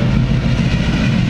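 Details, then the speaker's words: Supercharged Tide Car with Weiand roots blower and two AVS2 carburetors after mixture tuning: idling around 800–900 rpm, just under 14:1 air-fuel, fuel pressure about 5 psi; low steady even rumble, no misfires or hunting, smooth idle. "all right sounds like it's running smooth as silk i got everything"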